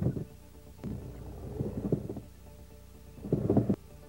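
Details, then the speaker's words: Hydraulic power steering: dull, muffled thumps in irregular bursts, like a dead suspension damper; mechanical knock possibly from loose tie rods, adjusting nut, worn rack bushings, steering column or flexible joint, unconfirmed. "o ruído de batida ou martelamento também pode ser de origem mecânica quando o ruído apresenta-se com som bastante abafado semelhante ao ruído de um amortecedor da suspensão sem ação"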